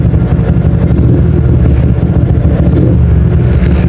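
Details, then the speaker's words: 2007 Yamaha Old Jupiter MX, 57mm bore-up on a Vixion block, BRT T28 cam, BRT CDI with dual band switched off (hyper band mode). Sound and idle change slightly, and rpm drops a little when dual band is switched back on. Steady, even single-cylinder idle with no misses; normal. "Apa kalian merasa ada sedikit perubahan suara? Idle-nya juga sedikit berubah."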